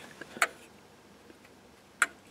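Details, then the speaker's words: Bi-metal wall thermostat in a quiet room: two sharp, crisp clicks as the internal switch snaps over to make contact and send power to the selected function; normal. "if you hear that clicking that's the switch inside moving in there to make on a make and send the power for the function to run"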